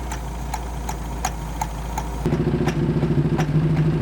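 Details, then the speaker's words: Mercury Capri Turbo RS, turbo four-cylinder, first start after 23 years sitting, cracked exhaust manifold: rough idle with intermittent loose ticking about three a second, smoke from carburetor; owner suspects a valve coming and going. "It's like a valve is just coming and going. Because you see it blowing smoke out of the carburetor. It's like a valve just like, I'm gonna go now."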